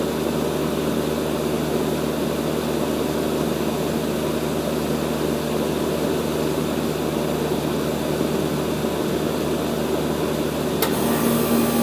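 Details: Rheem RE Imperial 80 Plus air conditioner outdoor unit, recorded by an iPad set on the line set with a Bryant unit running nearby: steady whooshing fan and compressor hum with no rattles, clicks or labouring, so the compressor is running normally.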